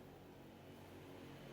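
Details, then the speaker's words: Interrupter box for spark plugs, power supply set around nine volts, switch off: soft even whoosh with low steady hum, no ticking, rubbing or speed wobble; cooling fan running normally. "you can hear the"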